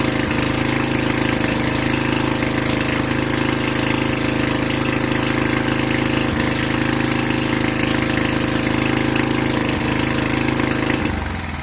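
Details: Vintage Generac Niagara 2250 W generator, model 5621-0, Tecumseh 5hp single-cylinder, running in a garage under electrical load: steady drone at constant speed with no surging or missing, then winds down; producing power, runs smoothly.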